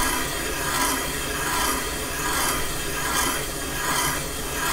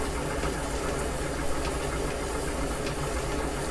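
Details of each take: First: Caterpillar D2 #5J1113 starting engine damaged main bearing bore being machined on the lathe: steady rhythmic scraping about every 0.8 seconds, thinning with an eighth of an inch left; light cut at end of boring pass. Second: Pre-1920 flat-belt-origin gap-bed lathe truing a damaged main bearing bore in a Caterpillar D2 5J1113 block, final pass with radiused bit: smooth, even cutting hiss over steady motor hum, no chatter; normal light finishing pass.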